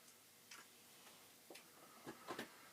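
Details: Possibly flood-damaged Commodore 1541 disk drive running a long performance test on a C64: irregular dry ticks and short clicking bursts as the head steps, no grinding or stalls; seeking normally.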